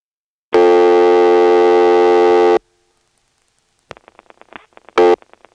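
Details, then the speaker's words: 1977 step-by-step exchange dial speed test in Washington NC: dialing zero gives one, two or three beeps for a slow, correct or fast rotary dial. A loud, buzzy test tone, then dial pulses ticking, broken by a brief tone burst. "depending upon whether your dial is too slow too fast or just the right speed you'll hear one beep three beeps or two beeps so here's a demonstration of dialing zero three times speeding up and slowing down the dial as necessary to get one two and three beeps"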